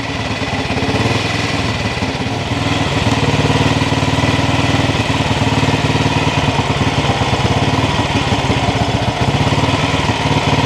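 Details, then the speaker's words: 1959 Ariel Red Hunter single-cylinder motorcycle, started on the compression release after sitting, with the engine pre-oiled and the float tickled: a steady, even thump at about three beats per second with no misfires or knocks. It idles cleanly and runs well. "I'll hold down the compression release. There we go. Running pretty good."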